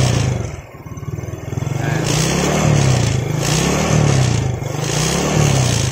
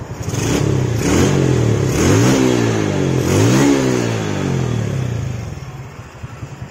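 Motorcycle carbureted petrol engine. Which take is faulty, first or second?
first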